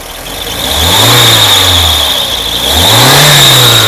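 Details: Mercedes W201 2.5-16V manual on an external fuel tank, return flow 2.2 L versus 0.9 L from its own tank: engine sweeps cleanly twice to high revs and settles, no stumble, confirming the car's own fuel tank is at fault.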